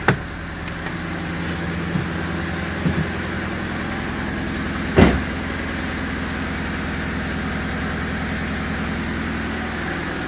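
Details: 2001 Honda Civic LX sedan at its first start after major repairs (alternator, coil packs, cam cover cap, AC condenser work): a quiet, steady idle with an even beat and one brief background clack, no engine lights. It is a normal, smooth idle.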